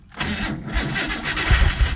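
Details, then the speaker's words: Ford Bronco II, started after wiggling battery cables to restore lost connection, fuel pump heard priming. Brief starter whir, engine catches and settles into a steady, even idle; clean start, no misfire. "Oh yeah. There we go, she's live."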